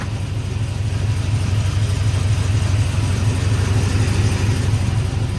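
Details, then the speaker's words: Cammed 450 hp truck after header gasket replacement and oil change, exhaust leak gone, may have been running on four cylinders with a coil pack left unplugged: deep, steady, lumpy cam-lope idle with no ticking or puffing; normal idle. "it's all quiet in the engine bay just engine bay noises now so we're all good here"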